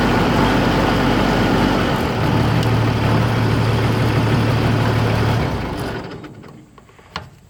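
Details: Oliver 1600 diesel tractor, over 1100 hours, valves already checked: fine at idle and PTO speed but coughs, spits and beats unevenly in the middle rev range; owner suspects the injection pump, cause unconfirmed.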